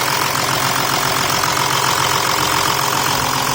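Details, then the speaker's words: 2008 Volkswagen Touareg turbo diesel, first start after fitting new Bosch OEM high-pressure pump, new timing belt, fuel system bled; steady, even diesel idle with light constant clatter, no misses, knocks or hunting; normal idle. "As you can see, it's actually running the car."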